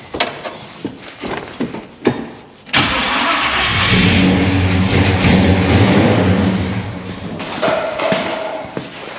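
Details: Monte Carlo with a newly installed engine, first start: it cranks a few times, catches and runs rough for four or five seconds, then dies and won't idle; the owner suspects fuel starvation, running only on the prime and needing more gas.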